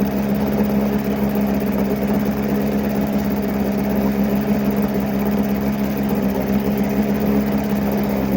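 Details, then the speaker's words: Likely 1980s Mercury 7.5 hp long-shaft two-stroke outboard, first run in 20–30 years: rough, uneven idle with occasional stumbles, owner says it's missing. The water telltale is flowing, but it likely needs a new impeller. "so we are mising here we're we're missing but it has an imp and it's there pissing now"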